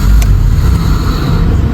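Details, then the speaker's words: Honda City after start during repair, check engine light on: steady loud drone with no dip or hunting; idle stays too high and never settles. "tingnan natin kung tataas pa rin ng menor meron may binunot ka ba doon wala >> ung ano lang >> temperature hard start to kanina eh na oh taas pa rin ha"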